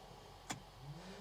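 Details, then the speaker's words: Daihatsu Hijet Jumbo kei truck with newly fitted LED dual-colour (white/yellow) fog lamps. On switch-on, the lamp's small cooling fan spins up with a steady low buzz ("brrrr"). Owner wonders if it is noticeable with the engine running. "Khi bật lên, quạt quay và bạn có thể nghe thấy rất nhiều tiếng ồn, "Brrrrr.""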